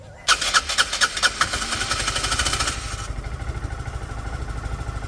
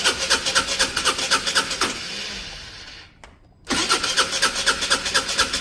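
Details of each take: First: Restored Peugeot Satelis scooter at its first start: the engine catches after a few cranking puffs and settles into an even, slightly lumpy cold idle on the automatic choke. It doesn't want to rev yet but sounds healthy. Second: Peugeot Satelis scooter under restoration, immobilizer light flashing: starter whirs with even pulse, about two a second, for several seconds without firing; cranks but will not start, immobilizer suspected.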